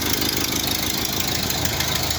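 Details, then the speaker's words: 1931 Ford Model A four-cylinder, first run in several years after tarnished points, stuck carb float and possibly bad coil fixed and timing reset: steady, even idle with plenty of valve clatter, running fine; normal idle. "Just barely got it started now. I don't know if they have everything adjusted right on it, but it is running."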